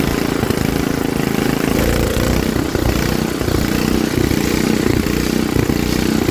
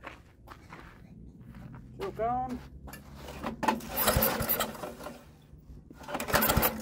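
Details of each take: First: Troy-Bilt rear-tine rototiller engine after magneto cleaning restored missing spark and carburetor cleaning, choked for carb adjustment: single-cylinder catches and settles into a steady, even putter with no misses or knocks; running normally. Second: Troy-Bilt rototiller, recoil pulls in neutral after carburetor cleaning. Short rough cranking bursts that never catch; no spark, later fixed by cleaning the magneto coil.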